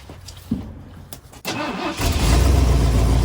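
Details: 1974 Ford F250 SuperCab 460 V8, parked 14 years, started on an electric fuel pump: short crank, then catches and settles into a steady, even low idle; clean, healthy start.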